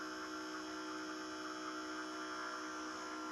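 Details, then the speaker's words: Philips EP 2200 (EP 2000/3000 series) coffee machine with red warning triangle drive fault: faint steady motor hum with constant even whir, no load changes; brew group drive running through reset travel. "il tourne pendant un moment il s'arrête automatiquement et tourne automatiquement dans l'autre sens"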